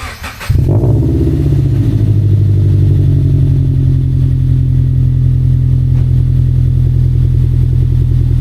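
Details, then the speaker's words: Subaru BRZ boxer on a freezing morning, just fitted with unequal-length headers and a stage 2 tune; the first try leaked, so the header was tightened and the gasket moved: catches quickly into a deep, steady rumble with no ticking or puffing. Normal running. "That's subie. So, I was able to tighten these a little bit more and uh move the gasket a bit. And uh seems to be okay right now."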